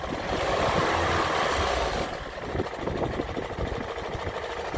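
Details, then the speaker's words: Land Rover Freelander 1 with 2.0 TD4 BMW diesel, idling as it warms up: rough uneven knocking a few times a second under diesel clatter, worsening over six months, oil change slightly quieter; failing crankshaft pulley. "it's an overrun it's really bad but when the engine starts to warm up you can hear it now just knocking away"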